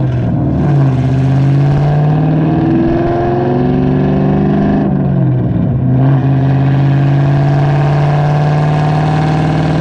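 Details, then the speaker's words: SN95/New Edge Mustang GT V8 with aftermarket cam and new IAC restrictor plate, GoPro on rear bumper while driving: pulls through a shift, revs drop cleanly and hold steady without hanging; hanging rpm fixed, normal return to idle. "the hanging rpm is no longer there and that is why we got it"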